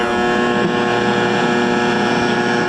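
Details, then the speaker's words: AM radio in a 1970 Cougar receiving poorly inside a steel building in a valley, antenna reinstalled; loud, steady, rough buzz with low hum and no station audible: AM reception interference from location, not a faulty radio. "Like I said, the valley, you can hear all that buzzing, that's the steel building."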